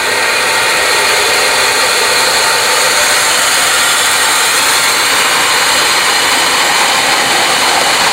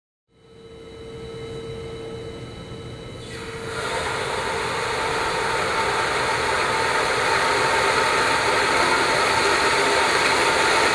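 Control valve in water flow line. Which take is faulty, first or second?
first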